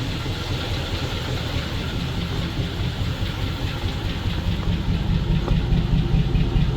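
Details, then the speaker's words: ZIL-engined truck idling while warming up, radiator still cold, after hydraulic pump bleeding, pressure regulator suspected; deep even idle about two pulses a second, no knocks or misses; normal warm idle. "It’s working fine at idle, the radiator is cold. Well, of course, the work of this engine is a symphony."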